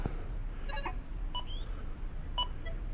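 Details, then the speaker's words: XP Deus 2 detector during EMI tests: short high chirps and beeps in a quiet room as it changes to Park program and a nearby Equinox picks up the frequency interference until auto scan. "park program hear how that equinox over there chirps for the change program so that equinox say i'm changing frequencies on this machine momentarily until this thing can do an auto scan"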